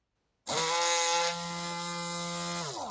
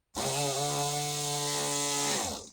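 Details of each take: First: Rotary tool under repair, motor wired to a different connection: strong, steady high-pitched whir holding pitch evenly from spin-up to shutoff, much more powerful and higher pitched than the earlier half-dead connection, running at full power. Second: Rotary tool that stopped working, motor tested on a different negative connection: steady low-pitched buzzing hum about two seconds then winding down, sounds half dead versus stronger connection; motor running weak, low speed, poor connection suspected.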